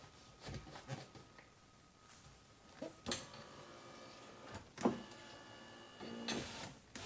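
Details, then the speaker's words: Rear door window on a 1999–2005 Pontiac Grand Am, about 20 years old: motor whirs in short straining bursts, pulling glass down but not up; suspected broken plastic regulator guide clip. "if it's not rolling up or down, or it's just disengaged, you can still hear the motor, it's probably the window clip there."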